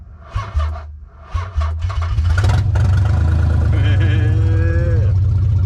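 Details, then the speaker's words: Nissan 300ZX (Z32) convertible six-cylinder first start after fitting a new clip: a few cranking bursts, then it catches at once and runs strong and even, sounding like all six cylinders firing. "right up also it sounds like we're firing on all eight all8 who do I think I am driving a V8 sounds like we're running on all six"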